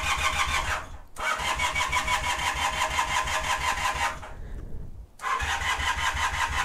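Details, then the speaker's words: 1978 Honda CB250 Twin (CB250T), sat about six months, started only once since purchase: starter spins in long uneven bursts with pauses, engine never catches; hard starting, usually dying when it did start; cause not yet known. "it needed some serious attention it didn't like to start and when it did it almost always dialed I even tried recording a first test ride video but the bike just wouldn't start"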